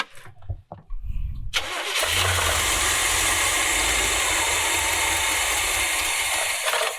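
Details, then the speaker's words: 1970s Coachman Leprechaun motorhome V8, with fuel being bottle-fed while starting because fuel isn't yet reaching the pump; brief scattered cranking, then it catches and holds a steady roar. Hard starting. "Almost there, huh? Yeah, just trying to get it up to the fuel pump. I'm going to try to bottle feed it while we start it."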